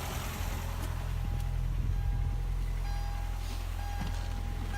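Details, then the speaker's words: 1999 Ford Contour after replacing the misfiring coil pack: smooth, even idle rumble with no stumbles and even exhaust pulses, check engine light gone. "now it's time to connect the battery back up like go to start the car now and immediately it sounds much better"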